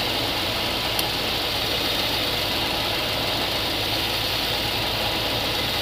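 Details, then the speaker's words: GMC 3500 454 V8 idling with valve cover off, mid valve adjustment: quick light metallic ticking over the idle; rockers found really tight and out of adjustment, each set a quarter turn past where the tick goes away. "there we go yeah these are really really bad really really tight there it goes away quarter turn"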